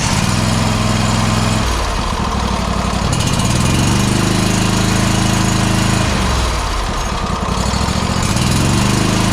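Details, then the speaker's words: Exmark 52" Pioneer S zero-turn, Kohler KT720 engine, low power and popping: lumpy uneven thumping sagging and recovering as one cylinder drops out; later traced to a failing ignition coil. "as we take a look at this and listen to how it sounds we can definitely hear that one of the cylinders is dropping out at least is what it sounds like"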